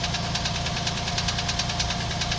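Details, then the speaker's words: Toyota Prado 120 engine on cold start, recorded from one side: sharp regular light knock about four times a second over the cold idle; cold-engine knock, cause unknown. "Ну, надеюсь, слышно. Это звук, он такой на холодную. Вот так он слышится с этой стороны."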